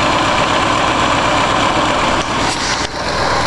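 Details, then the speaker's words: 1965 Ford 352 V8, just rebuilt, heard at idle through the current exhaust before glass packs are fitted: a deep, even burble with a steady beat and no knocking or misses. Normal idle. "exhaust sounds good listen to that boys oh yeah this s better when I get glass packs on it"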